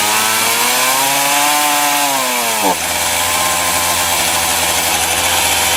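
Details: Titan TTL759CHN petrol chainsaw, heavily used, freshly refuelled and cutting: revs climb and waver, then collapse abruptly to a rough low drone, bogging at high revs; owner attributes it to an incorrect carburettor low setting.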